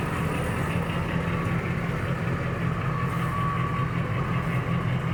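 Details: 2005 Dodge Ram 1500 V8 with catalytic converters replaced by straight pipes, after the leaking joints were sealed with exhaust putty: deep, steady idle with no ticking or puffing. Exhaust sounds sealed.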